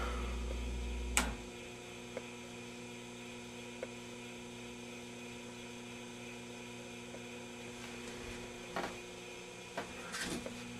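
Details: 1949 Admiral 24A12 10-inch black-and-white TV, restored and tubes tested, first power-up through a variac with fuses on the flyback and variac: steady low mains hum with a faint buzz and soft clicks; powering up normally with nothing sounding wrong.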